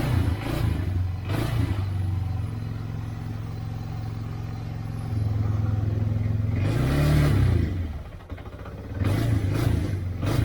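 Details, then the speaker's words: 1999 Yamaha Bear Tracker 250 ATV with new aftermarket carburetor: revs rise and sag unevenly, bogging and surging under throttle, acting lean; fuel starvation because the fuel petcock was left off. "but nothing like throttle maybe having a fuel delivery problem i wonder if the petcock stopped up i think we got a fuel delivery problem"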